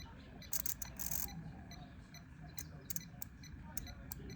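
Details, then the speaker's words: 2010 Jeep Wrangler starter relay, removed and bench-tested with 12 volts on the coil after 0-ohm contact check: crisp clean clicks, no chatter; relay works fine. Cold-start clicking was later traced to a loose negative battery terminal. "The magnet is working. So I don't have an issue with my relays. My relays are fine."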